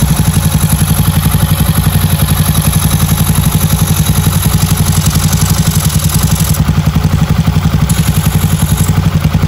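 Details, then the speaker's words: Freshly rebuilt Honda Beat carbureted 130cc, stock valves, new cylinder liner, first start for break-in without revving: even, steady putt with no knocks or rattles; healthy smooth idle. "Kita ryen duduk dulu. Enggak langsung kita gas-gas dulu karena seckernya baru, cola-nya juga baru. Jadi perlu ryen duduk dulu."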